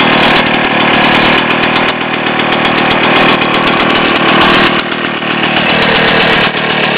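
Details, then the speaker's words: Rotax 247 (about 250cc, 10.5 hp) two-stroke from a 1967 Ski-Doo Olympique, test run after bench rebuild (honed cylinder, new rings, crank bearings, rebuilt Tillotson HL carb), sat 20+ years: loud steady buzz, no knocks or misses; runs fine, needs slight carb adjustment. "Need to do a little bit of carburetor adjustment, but you get the general idea."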